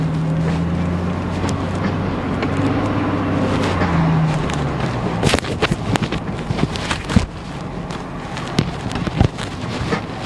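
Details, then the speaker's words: 2002 GMC Envoy on a road test over bumps, sharp irregular clunks in bursts over road noise, complaint of rear clunking but front or rear not yet determined. "so yeah so it's confirmed there is a clunking sound i'm not really sure if it's on the front or on the rear"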